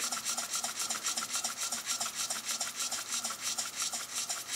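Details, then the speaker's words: Restored Robert Fulton vertical toy steam engine, boiler hard-soldered, under 5 psi suspected: crisp even chuffs about five per second with smooth hiss between, no skips or knocks; runs very nicely. "runs very nice I suspect there's less than 5 lbs of pressure in there"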